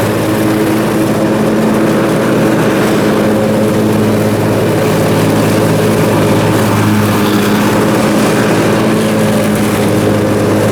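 Constant, even drone with a steady tone and no surging or hunting in speed; the twin runs smoothly and sounds healthy.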